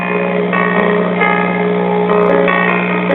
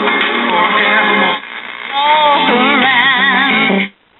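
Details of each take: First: 1965 Zenith four-transistor AC-operated AM table radio, model M860W, first power-up: steady low drone under the audio that doesn't change with it; bad filter capacitor, to be replaced, signal still passing. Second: 1965 Zenith model M860W four-transistor AC table AM radio after repair of hum and cleaned volume control; clean music and voice, no low drone, brief dropouts between stations, hum fixed, sounding healthy.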